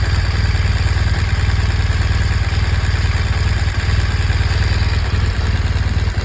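Steady idle with a light, quick tick riding over the beat at about four per second; source of the tick can't be pinned down.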